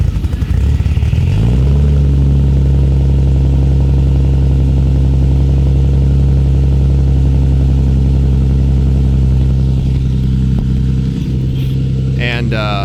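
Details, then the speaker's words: 1990 JDM Toyota Supra JZA70 RHD, 1.5JZ (2JZ block, 1JZ head) turbo on SAFC tune, known to smoke: cold start catches then lumpy, stumbling idle over deep rumble; owner suspects poor tune, compression and leak-down tests later revealed major problems. "I have a feeling that might be because it's not tuned. It's tuned on an SAFC like I was saying, but that was nasty."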